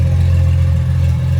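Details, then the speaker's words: Porsche Boxster S exhaust after the high-pressure power steering line replacement: deep, smooth, steady rumble with no misses, ticks or rattles; line dry, residual fluid smoking off the headers; healthy exhaust note. "all right listen to that exhaust that sounds so nice"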